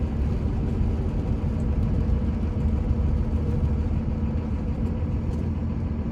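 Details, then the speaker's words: 2001 Dodge Ram 2500 4x4, 5.9 Cummins diesel, 81,000 miles, slowing for a corner on a test drive: low road and engine rumble with no squeal, pops or rattles; brakes normal. "They don't cause any kind of pops or rattles. They don't squeak, nothing like that."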